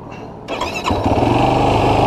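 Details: 2016 Yamaha YFZ450R SE single cylinder after the throttle position sensor was adjusted to 0.81 to fix a factory low-RPM bog and hard starting; catches within half a second and runs smoothly with no stumble: normal start and idle.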